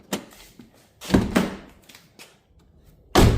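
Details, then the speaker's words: Rover 75 door lock actuator: a few dull clunks in short bursts as the lock tries to engage and then pulls straight back down; it can be heard working inside but doesn't lock, so the actuator is faulty. "almost like it wants to try, but it's literally pulling that back down again."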